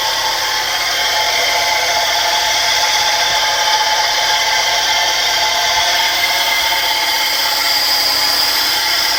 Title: What is this noise coming from? (Mercedes 190e 84)